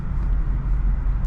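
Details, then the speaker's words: Modded Acura RDX turbo after high-flow cat and resonator install: low, even exhaust rumble, quieter, with the raspy weed-whacker buzz gone; may get rowdier as cat and resonator break in. "So, it's quieter as I expected. Um, it may get a little more rowdy as the cat and the uh resonator breaks in. But that god-awful weed whacker sound is completely"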